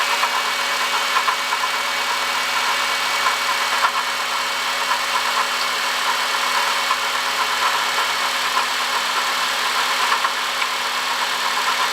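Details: 2005 Honda Odyssey, 268,167 km: steady idle with constant high-pitched whir on top; worn, singing water pump bearing, fixed by replacing water pump, thermostat, thermo switch and coolant.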